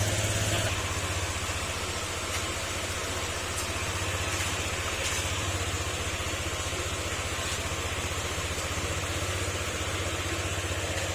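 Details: Honda Click 125 scooter at 58 km, after engine overhaul for a cricket-like internal noise, warming up to check for oil or coolant leaks: even, steady idle with smooth low pulsing and no metallic knock or chirp; now quiet and healthy.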